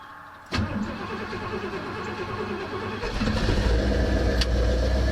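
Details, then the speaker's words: 1968 Pontiac ambulance with an Aces Killshot throttle-body EFI, sat 2.5 weeks, started on a cold day: brief crank, then it catches straight away and settles into an even, steady idle. Healthy cold start; AFR settling into closed loop. "This thing's been sitting for about 2.5 weeks. Fired right up. It's cold out, guys."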